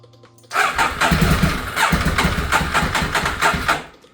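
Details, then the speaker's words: Neglected Ducati 848 first start after Desmo service, timing belts and new stator cover rebuild; cranks, catches, runs rough and uneven about three seconds then dies, oil burning off afterward; engine stalls after starting. "Just give it a little bit more. Alright. There we go. Okay, it died."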